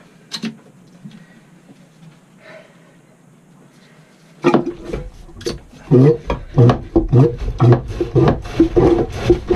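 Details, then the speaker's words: Jabsco manual marine toilet after maintenance and reassembly, seacock opened: after a quiet start come rough, hollow, gurgling strokes about two a second. The pump is unprimed and drawing air, which should stop once the fittings are tightened. "Il va y avoir de l'air qui passe là-dedans, c'est pour ça que ça fait ce bruit là. Quand je vais avoir resserré, ça va plus le faire."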